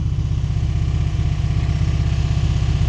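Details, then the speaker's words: 1994 Chrysler Town & Country van from a junkyard, smoky and struggling to idle on its first start: a steady, fast clattering rattle, about four a second; owner unsure it is bottom end and suspects a lifter, unconfirmed. "But I also think that that rattling might be something else. I don't know if that's necessarily bottom end. Is that a lifter?"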